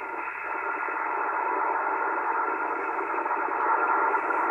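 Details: ICOM 751A transceiver with distortion on upper bands, fed a signal-generator carrier near 21 MHz: rough wavering hash instead of a pure steady tone, PLL hunting; PLL unlock warble.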